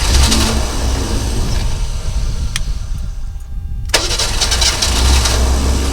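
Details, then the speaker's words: 1963½ Ford Falcon Futura, off the road 18 years, sat overnight after a new rotor, distributor cap and battery: engine catches, falters and nearly dies, then picks back up. Stumbling start; owner plans to clean it out. "so obviously she still has a little bit of a stumbling start up there we're gonna see if we can't clean that out"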